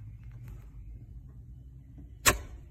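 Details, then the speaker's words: 1987 Land Rover Defender 90 2.5L turbo diesel with misfire and heavy smoke, low compression on one cylinder: leak-down test, sharp puff of air escaping at tailpipe, none at turbo intake; leaking exhaust valve or seat suspected, not confirmed. "you'll hear that pressure release so that tells me that my exhaust valve is probably about or just bad seat we're gonna open it up and find out though"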